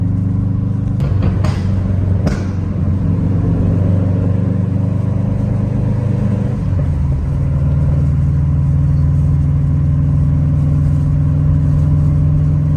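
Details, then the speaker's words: Subaru WRX running without a resonator after an exhaust leak was fixed; the leak came from loose, unlocked header nuts, one of three manifold nuts presumably missing. Deep, smooth rumble pulling through the revs, no raspy hiss or ticking; now sounds healthy. "the car sounds a little bit better so I'm assuming that one of the nuts which is three nuts for the exhaust manifold one of them left the chat early cuz my car SED like a little raspy and it kind of sounds good now"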